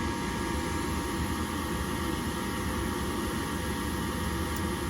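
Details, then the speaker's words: Horizontal gas-fired furnace in an attic on a no-heat call: the gas valve opens and gas hisses steadily with no light-off whoosh. Control-board voltage is to be checked before testing the igniter. "i can hear gas coming out but no ignition so first things first is we're not going to just say it's the igniter"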